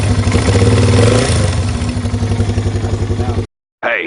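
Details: Yamaha TW200 running after repair of a lower-case knock on the flywheel/stator side, caused by a sprag-clutch starter gear with broken bolts that was re-tapped and reassembled. Even single-cylinder thump near four beats a second, no knocking between firings, background music; healthy.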